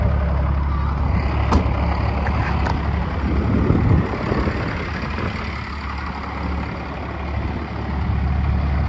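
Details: 1st Gen Dodge Cummins 12-valve diesel, 5-speed manual, started after tip fitted: settles into a steady, even clatter at idle with no misses or knocks; sounds healthy, normal idle.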